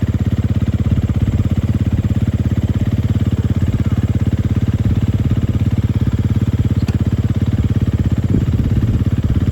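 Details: Large dirt bike that sat for years, after revival: steady even single-cylinder thump at fast idle with no knocks, rattles or misses; part and full throttle work, running amazing.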